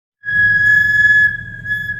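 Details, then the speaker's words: Infiniti with an engine of five-plus litres: loud steady high-pitched squeal over a low rumble from Brembo brake pads fitted elsewhere that don't suit these brakes; customer came to replace them with Power Stop pads. "чуєте як пищить це колодки брембо на Інфініті ставили не ми клієнт не витримав такого звуку приїхав міняти колодки"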